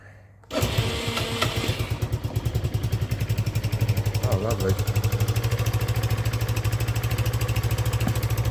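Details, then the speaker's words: 2015 Peugeot Tweet RS 125cc scooter, first start after replacing holed exhaust: single-cylinder catches at once and settles into a steady, even putter with a soft, quieter exhaust note; normal idle. "Oh, that actually sounds like a scooter now."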